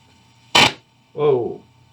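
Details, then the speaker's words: 1955 Magnatone 108 Varsity Deluxe tube amp, volume up, mic pointed inside: one loud crack from speaker when silver filter capacitor can is touched, then hum; crackling and popping, suspected bad connection there, 12AX7 tube also bad. "hopefully you can hear that yeah so that tube is bad"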